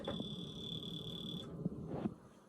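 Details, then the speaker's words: Carbon monoxide detector over 10 years old: shrill, steady high-pitched beep about a second and a half, then quiet, repeating chirp; end-of-life warning, needs replacing. "Why is the carbon monoxide detector making a chirping sound? That's been happening ever since,"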